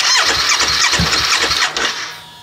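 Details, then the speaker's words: 2017 Honda CBR500R stolen-recovered salvage bike, unknown fuel and battery state, clutch in: starter churns in quick even bursts, then engine catches and settles to a quieter idle; cranks and starts normally. "when it turns over that's a good sign we do have it started so awesome"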